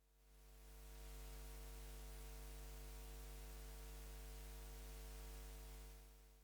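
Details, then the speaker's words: Soundmaster SD-3 Disco Beat drum machine run from a bench power supply at full volume: only a low steady hum and faint hiss, no ringing; earlier ringing traced to the bad original power supply or its filtering. "maybe it's not super clean but it's nowhere near as noisy and ringing as it was before in fact I don't hear anything at all now"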